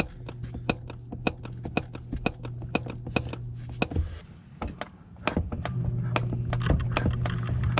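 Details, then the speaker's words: Chevrolet Spark/Beat clutch pedal pumped: sharp clicks about twice a second from a cracked firewall at the pedal mount, which moves abruptly when pressed; pedal also feels stiff. Symptom of a broken firewall needing repair. "Y ahí está, así es como se mueve, y ese ruido pues ya es de la pared de fuego."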